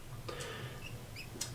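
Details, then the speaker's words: Unserviced 1984 Seiko 6309-7049 diver's watch with a very tight screw-down crown: short, thin high squeaks as it is screwed down, from an old, worn crown seal. "old seal for sure I can hear it squeaking"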